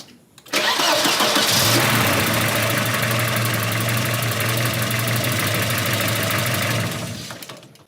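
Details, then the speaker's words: Volvo 240 with a steady, slightly lumpy idle and no mechanical knocking, shaking from tired, worn engine mounts that are on the repair list alongside struts, timing belt and oil leaks. "i'll uh turn the engine on so you can see just how bad those motor mounts are too because they're on my list"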